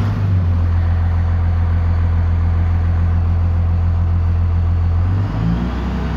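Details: 1998 Dodge Ram 5.9L 24-valve Cummins with VP44, formerly crank-no-start from a defective ECM, now with rebuilt ECM, warmed up: deep, steady diesel idle with even pitch, no stumbling; healthy, no check engine light.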